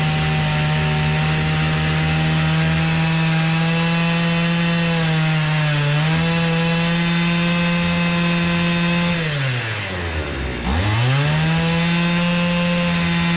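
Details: Hyundai brushcutter after repair of low-rpm fault (head spun slowly, bogging): strong steady buzz holds pitch cleanly, then sags and recovers twice as the fuel runs out; engine runs healthy.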